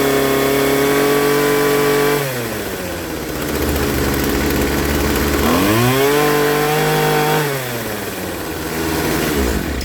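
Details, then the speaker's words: Poulan Pro 25cc two-stroke trimmer after carburetor and fuel line kit install drops from full revs to a fast, high-pitched idle and keeps revving up; idle set too high, to be lowered with the idle screw. "and then idling is high. This is your idle screw."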